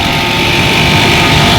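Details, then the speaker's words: Mitsubishi PU-12YAKD ducted split unit with a three-phase Copeland ZR-144 scroll compressor throwing error P8. Harsh, rough roar; the suction and discharge gauges read almost the same pressure (about 115) while it runs. Internal compressor bypass. "तो ये दोनों पे almost same ही प्रेशर बता रहा है, लेकिन कंप्रेसर की आवाज़ आ रही है।"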